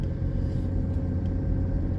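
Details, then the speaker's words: BMW X5 E53 3.0d diesel, after replacing long-neglected main fuel filter that caused lumpy idle: deep, even rumble at idle with no hunting or misses; normal idle, lumpiness gone. "engine pool's lovely so it did pull lovely anyway it was just the idol i wanted to eliminate not eliminating i don't need it to idle um lumpiness and it's done it so far"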